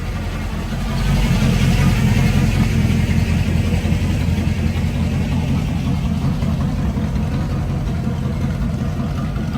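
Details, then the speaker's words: Carbureted Camaro V8 with electric fuel pump, idling around 700 rpm before throttle and kickdown cable bracket work: steady, even low burble with smooth firing rhythm, no knocks or misses; healthy idle though it had some trouble starting. "But that's it idling. I believe like around 700 right now, but it did have some problems starting."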